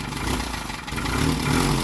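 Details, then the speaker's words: 1948 Peugeot 202, first run after revival on choke: rough, uneven idle with a chuffing puff under the engine note, louder low down; little comes out the tailpipe, an exhaust leak near the bottom of the system. "very exhausting not a lot coming out the pipe it's probably all coming out to leak sounds like it's coming out right down here"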